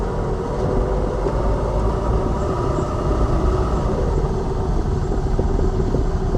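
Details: Lada Vesta Cross over bumps after dealer warranty replacement of front shock absorbers/struts (right SAAZ shock); recorder plus cabin phone; steady road rumble, no sharp knocks, front strut quiet and solid; knocks gone after replacement.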